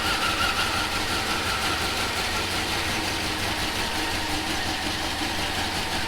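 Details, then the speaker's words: Turbo V8 Chevrolet Avalanche with GT45 turbo at first startup idle: faint repeating chop about three pulses a second, mild compressor surge; dump valve suspected of leaking slightly. "turbo's doing a little surging still chopping"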